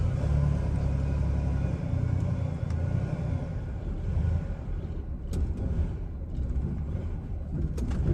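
Low, lumpy rumble that surges and sags unevenly with no steady beat; the engine is idling roughly.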